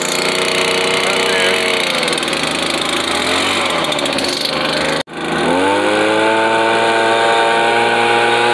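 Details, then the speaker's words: Echo PB-2100 handheld two-stroke blower running after primer bulb replacement fixed a no-start: loud buzzy scream holds steady, briefly cuts out, then spools smoothly back to full speed; blower running healthy. "so anyways i'm gonna put this thing together we're gonna crank this thing back up all right so i got it fixed got it cranked let me show you all"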